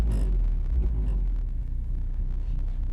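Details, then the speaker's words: Pioneer GM-DX871 amplifier on a 1-ohm dyno test gives a steady, low, slightly pulsing hum, noise in the line; cause not found. "I don't know if you can hear that hum. It's a horrible hum."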